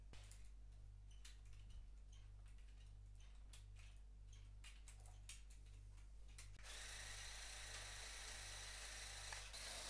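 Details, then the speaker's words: CaDA C61081W crane truck building-block set, motorised rope winch reeling in cable: faint, slow motor whir with a steady pulse and scattered sharp clicks as something in the mechanism keeps skipping. Winding takes ages. Gear skipping. "wciąganie liny nawet silnikiem trwa wieki tam cały czas słychać że Coś przeskakuje w tych mechanizmach"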